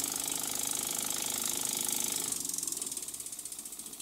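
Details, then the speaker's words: Rebuilt Burnac Vulcan model steam toy engine test-run on compressed air, testing the 4BA bolt throttle valve on the exhaust: crisp even exhaust chuffs near two and a half per second, slowing smoothly as throttle closes; throttles beautifully, nothing wrong. "it's only a 4ba brush bolt and it throttles the exhaust and it does it beautifully so there's nothing wrong there"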